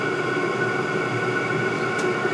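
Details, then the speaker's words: Multi-voltage diesel heater running on 24 V with the set temperature at 12, body temperature rising so it is throttling down: steady, even fan rush with a constant whirr that slows; running smoothly at reduced fan speed. "temperature's still going up in the housing but i can hear the fans starting to get slower"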